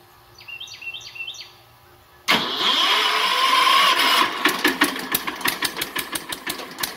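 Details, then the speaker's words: Kohler 10HP K241 air compressor engine just converted to propane, first start: catches after cranking into slow, even single-cylinder thump about three a second, below full speed; owner suspects adjustment needed. "well so far it did crank up and run and I smell it but it's not running at full speed so I'm not sure what it'll need to run at full speed"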